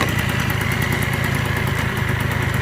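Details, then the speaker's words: 1987 Honda Elite 50S scooter, AF05E two-stroke, just after a Malossi big bore kit install (49 to 65 cc), at a high idle around 1,800–2,000 rpm: fast, even putter with no misses; runs normally, seems happier just over 2,000 rpm. "I've been able to get it you know somewhere around 1,800 to 2,000 rpms it seems to like to run better at a little over 2,000 rpms"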